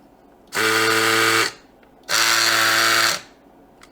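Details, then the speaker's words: Samsung Jet 90 Pet vacuum turbo brush, reassembled with a very tight belt: two bursts of a harsh, buzzy whine with hiss, even louder than before; the brush drive is noisy, cause unknown, and the belt socket is suspected. "Now after removing it, this part is even louder, and the question is, why is it happening? The belt is very tight. You can hear it going haywire here, but what's causing it?"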